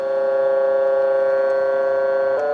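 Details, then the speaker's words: U.S. military RT-834 HF radio (GRC-106A) receiving at 10 MHz while the 100 Hz control is raised step by step: steady tone suddenly jumps pitch, radio off frequency; RX/TX frequency fault, cause not yet found. "That's a big jump. All of a sudden, that wasn't right. Now, it's off frequency still because now we've dialed it up by 700 htz higher."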